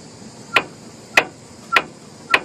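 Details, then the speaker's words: Front end struck by hand: four sharp metallic clacks about every 0.6 seconds, the loose clunk of an idler arm missing its rubber bushing. "until you find the clanking this is an idler arm it's missing its rubber bushing so we found our tight our uh clunking problem"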